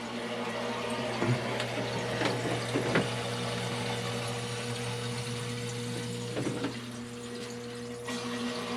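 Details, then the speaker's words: Rebuilt electric hot-water boiler: the circulating pump is run to purge air instead of using the bleeders. Steady low pump hum with a faint whine and occasional gurgling splashes through the pipes as air works out of the loop. "so we're just going to let that circulate that system out for a while you can hear it yeah here's our there's going to be Airness system"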